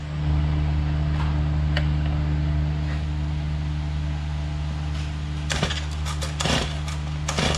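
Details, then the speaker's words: Stihl MS250 chainsaw just after a first-time replacement of its crank bearings and seals: a steady low idle with some clicks. The grinding and rattle heard before the repair are gone; normal running. "That was fun, huh? Sounds good. Not hearing a bunch of noise like I was before I replaced the bearings."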